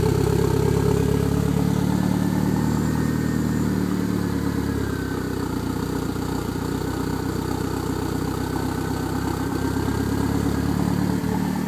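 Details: DSM with a lean idle and cruise misfire, sputter and bog: lumpy uneven idle with irregular stumbles and sputters breaking the exhaust beat; idle misfire, cause suspected, not confirmed.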